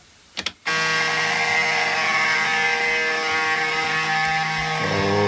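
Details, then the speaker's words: Ford Lehman 120 diesel with intermittent and no hot start, key on in neutral, engine not running: steady high even buzz, the normal low oil pressure warning before cranking. "I'm gonna show her it minimum and we're in neutral turn on the key you'll hear the low oil pressure buzzer"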